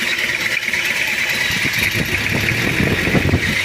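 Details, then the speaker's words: Toyota Kijang diesel with overheating, previously had its cylinder head off for a cracked chamber: a clattery, uneven idle that stays shaky even when warm, with a raw diesel smell. A weak injection pump or loose timing belt is suspected. "nah ini untuk mesinnya untuk mesinnya idulnya goyang kalaupun panas juga goyang dan ini ada tanda-tanda di Bos pom Lemah atau ptiming bel kendor"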